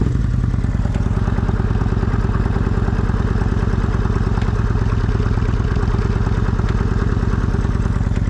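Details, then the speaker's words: 2001 Kawasaki Vulcan 1500 Nomad V-twin after coaster plate, reed valve removal and single-side filter conversion: steady even low thumping idle set a little over 1000 rpm, no misses, knocks or clatter; spilled coolant burning off; normal idle. "happens so the idle set about a little over a th000 but it seems to run good or at least idle for now"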